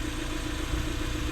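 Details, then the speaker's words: 1995 Honda Civic EG hatch, D15 four-cylinder, after replacing the distributor to cure crank-no-start: started right up, smooth even idle with steady low pulse and no misses or ticks; normal idle. "there you have it. Started right up."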